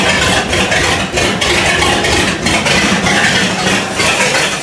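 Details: 1955 Buick V8, started after six months sitting, with new points and condenser fitted to fix inconsistent spark: fairly steady loping beat with mild rattles, settling into a reasonably even idle; oil pressure and temperature gauges working. Normal idle.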